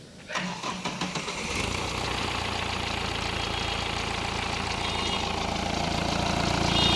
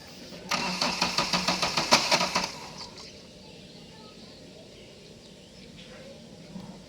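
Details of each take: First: Vehicle with blinking check engine light, a crank-no-start and fuel pump related fault codes, starting after diagnosis and repair with the light now off: about a second of rhythmic cranking, then a clean catch into a steady, even idle. Normal start and idle. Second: Bolero with check engine light blinking and fuel pump related codes: starter cranks about two seconds with even quick strokes, no firing; cranks but won't start.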